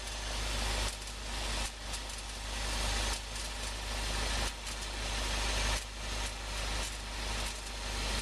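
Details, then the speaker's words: 2011 VW GTI idling after a long drive, with faint irregular pops and dips under one per second. The exhaust popping stops when the engine stops, so it is likely not heat ticking; cause unclear. "just noticed a funny noise when I stopped from a long drive. You hear that? It's a weird little popping. It could just be the from the heat, but it's a little more than that."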